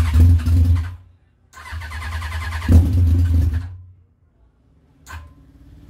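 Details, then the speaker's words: Yamaha R1 after engine knocking repair: engine catches and revs cleanly in short bursts, dropping back without rattle or knock; the noise is gone and the bottom end sounds quiet and healthy. "wala ng ingay hanip panapan natin"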